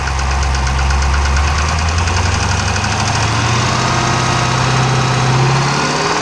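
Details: 392 engine with 1400 miles knocking at idle: heavy, uneven knocking at about four per second, a diesel-like clatter deep in the engine, sounding like a Cummins; source still unknown.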